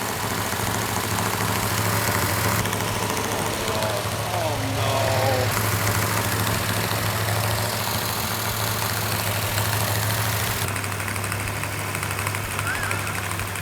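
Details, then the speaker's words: Freshly built engine for the 1968 Plymouth Roadrunner after cam break-in, running out of the car. Steady, even idle with a light regular valvetrain tick and no leaks, rattles or knocks; the drivetrain is ready to install. "All right, we have the engine running exactly the way it's supposed to. No leaks, no rattles, no knocks."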